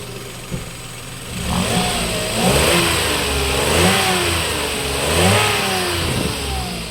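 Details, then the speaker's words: Toyota Wigo after replacing a connecting rod, no piston rings changed: clean revs rising and falling smoothly, ticking knock gone, no smoke; healthy. "start yon Wala na yung takatak sound wala naung yung tatak sounds mga boss ingay ng makina rev"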